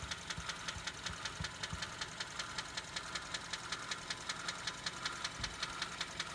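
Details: Engine idling before adding Lucas heavy duty oil stabilizer and engine oil stop leak with oil and filter change; sharp light tick about 2.5 per second over steady idle; valve lifter ticking, cause suspected, not confirmed.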